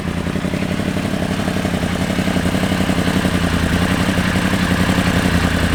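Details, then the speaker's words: Freshly rebuilt Yamaha R1 race bike just after first start, no coolant yet: fast, even idle creeping up slightly, no knocks or misfires; very smoky, thought to be residue burning off; engine running cleanly. "she's smoking very smoky I think that is just all the crap"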